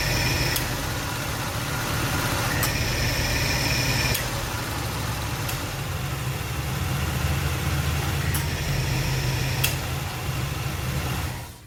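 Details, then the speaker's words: 1983 Oldsmobile 98 idling with A/C running on R-134a, slightly short of full charge and vent temperature about 45–48°F: sharp compressor clutch click every two to three seconds; low refrigerant charge. "I had one more can of of our 134a and it's almost enough but not quite I got it the temperatures down to about uh 45° 48 in there"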